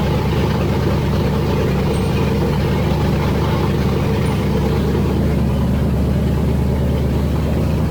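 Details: Freshly rebuilt engine with forged pistons and rods, 10.3:1 compression, MSD ignition, first start (45 psi oil pressure cranking): loud but steady low idle rumble with no knocks, ticks or misses; running fine.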